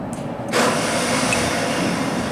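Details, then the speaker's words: Genie boom lift next morning after a night in the teens, battery 12.3 V: click then fast, high free-spinning whir with no engine cranking; starter spins without engaging, suspected sticky solenoid. "starter spins that's not good that might be a problem so our solenoid might be a little sticky"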